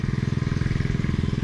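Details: Predator 79cc 1-inch water pump engine after repair, new air filter fitted, running at partial throttle while pumping rainwater: quick, even single-cylinder thump about seventeen times a second, no skips or rattles; running smoothly.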